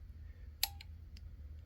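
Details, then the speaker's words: Honeywell water heater gas control valve (blinking blue, won't stay lit) bench-tested with simulated control-board voltage: quiet, then one sharp click as the valve moves; valve body works normally. "you hear it clicking if that was good so this tells me up front that this valve is good there's nothing wrong with this valve body"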